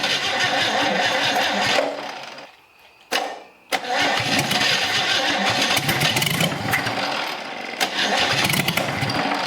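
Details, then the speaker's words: Chevy 250 straight-six, long-stored engine from a 1964 C10, first start attempts; runs rough only while the starter is engaged, dies as soon as the starter is released, catches again on recranking. "as soon as it comes off the starter it's freaking done like I can keep the starter and it'll keep running it doesn't make any sense"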